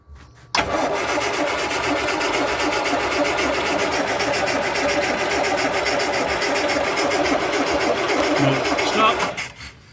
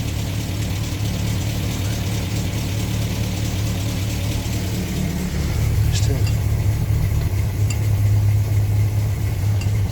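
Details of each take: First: 1962 Land Rover Series 2A 2 1/4 petrol after 10+ years sitting: about nine seconds of steady cranking with no firing; no spark out of the coil, concluded the coil (king) lead is dead. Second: 1962 Land Rover Series 2A 2 1/4 petrol four-cylinder after 10+ years sitting, new leads, on 10-year-old stale fuel, slight smoke: low steady thrum swelling with throttle, no knocks or misses; runs smoothly.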